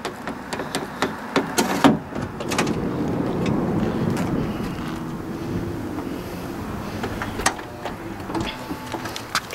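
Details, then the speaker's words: Third-generation (2005–2010) Honda Odyssey power sliding door after actuator replacement, opened by a gentle tug on the outside handle: handle click, then even motor hum as the door glides open without straining; normal operation. "g door you can even pay attention to that actuator arm and notice that how it pushes it down with a nice authoritative buzz and it presses down on that assembly without struggling like the old motor did"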